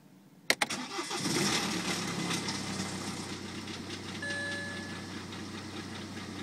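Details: BMW 118d diesel at cold start: two sharp cranking hits, then it catches and settles into a harsh, clattery idle with a brief thin whine. Abnormal noise at cold start.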